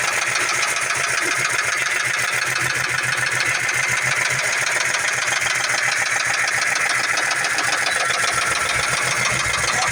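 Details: 2004 Mustang base V6 idling with an even, rapid knock around three and a half per second; owner suspects rod knock, unconfirmed.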